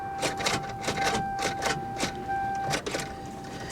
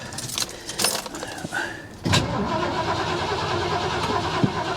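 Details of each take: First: Salvage auction car with corroded battery terminals: rapid irregular clicking about four per second over steady chime, engine never turns over, dies repeatedly; suspected battery terminal issue, or starter or locked-up engine. No start. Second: Vehicle that sat almost 10 years, jump-started just to verify cranking: clicks and rattles, then even, steady cranking that never fires; starter spins engine well, fuel pump presumed dead after sitting, so no start. Normal cranking.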